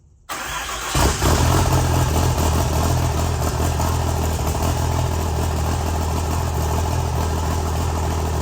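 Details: Freshly built deckplate Cummins diesel before break-in, injector plugs unplugged, cranked in neutral to build oil pressure: after starter engages, steady low even churning at one speed without catching; normal priming crank without firing.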